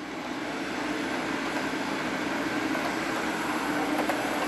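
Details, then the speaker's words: Hornby train set locomotive at about half power on the controller: steady motor hum with a light, even rolling rattle as it runs smoothly, normal. "then we're just going to apply a little bit more power till it's about halfway and then the Train's going to run like"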